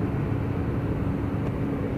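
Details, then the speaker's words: Tata BS6 phase 2 Cummins diesel, no fault code, accelerator pressed fully: flat low drone with no rise, engine won't rev past about 10–13 (×100) rpm and stalls; fuel starvation from a kinked diesel supply pipe. "Driver ने accelerator को पूरी ताकत से दबा दिया है। और यहां आप देख सकते हैं कि कार बिल्कुल भी रेसिंग नहीं कर रही है।"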